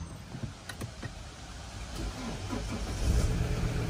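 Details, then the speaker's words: 2008 Volvo V70 P3 electric handbrake after rear disc and pad replacement, applied and released a few times with no diagnostics to reset. Faint clicks then rear parking brake motor hum that stops when applied; normal operation. "basically just press this a few times listen for the motor and when it stops it's it should be done"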